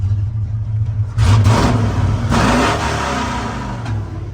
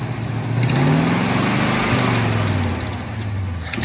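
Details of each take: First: 1970 Ford pickup, originally three-on-the-tree now three-on-the-floor, 56 years old: deep steady rumble swelling cleanly with each throttle blip and settling back evenly, no knocks or misses; healthy start and rev. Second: 1970 Ford pickup carbureted engine, carburetor suspected partly plugged, rag-over-throttle trick being tried: revs climb unevenly then sag and stumble; engine hesitation.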